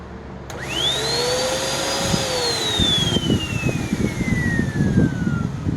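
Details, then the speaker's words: Curb-found Hoover NanoLite vacuum first switched on untouched; the hose behaves oddly and a clog or obstruction is suspected. Motor spins up with climbing high whine that then sags in pitch under choked suction: clogged airflow path. "So I'm gonna guess that we have a clog or some obstruction somewhere."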